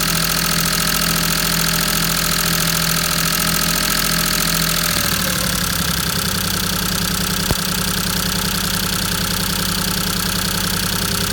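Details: Maruti 800 DX 5-speed MPFI petrol engine idling unevenly, beat stumbling and skipping roughly three times a second with an uneven chuff; misfire at idle, cause unconfirmed.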